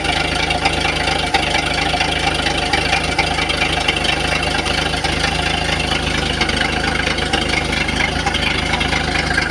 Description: Engine knock problem.